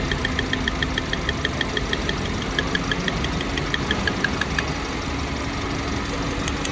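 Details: 2024 Toyota Yaris with a missing problem: sharp regular ticks about six per second over an uneven, shaky idle; misfire detected.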